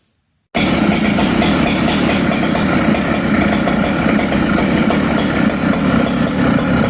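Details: Poulan 5200 chainsaw with magnesium side cover, being cleaned up with new fuel line, fires straight up and holds a steady, even buzzing idle with no surging or stumbling; running healthy.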